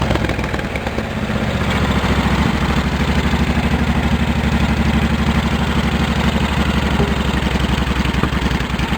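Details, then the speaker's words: 1650 Cub Cadet four-wheel-drive tractor build, engine warming up and revved by hand throttle: deep, rapid, uneven, harsh unmuffled exhaust thumping rising with throttle; open straight pipe too loud, owner plans to tame it. "I'll show you how the pipe sound too loud I'm gonna I'm gonna tame it down some"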